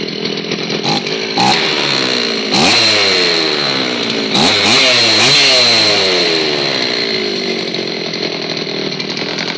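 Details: Old Zenoah chainsaw, previously stored and would not start, after repair: revs up cleanly, holds high speed, bogs only slightly into the cut before recovering; runs strong and even, healthy under load.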